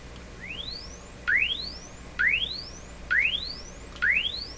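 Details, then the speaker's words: RCA Victor Model 67V1 console radio after replacing the audio paper capacitors: clean rising tone sweeps about once a second with no hum, crackle or distortion, audible to about 7 kHz. The audio stage is healthy. "my imagination says it goes to higher pitches now really it's 10 to 15. so this is going to start around two three four five six seven about seven i can't hear it anymore"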